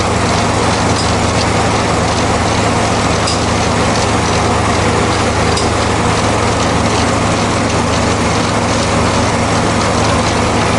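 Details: Zero-turn mower after replacing two deck spindle bearings and the idler pulley bearings: a steady, even engine and blade drone at high rpm with none of the former loud bearing grinding; normal running.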